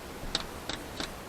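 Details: Lada Vesta Cross, quiet cabin, rear right door area, after window seals were siliconed: sharp light ticks about three per second, a small clicking rattle that seems to come from the door glass; cause suspected, not confirmed.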